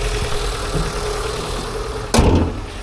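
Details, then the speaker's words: Auction car warming up at idle with fresh coolant: a steady, even low idle with no stumbles and one brief clunk from handling. It idles smoothly with no misfire. "Oh, don't look too bad. Fresh coolant in it. Yeah. Not misfiring or anything."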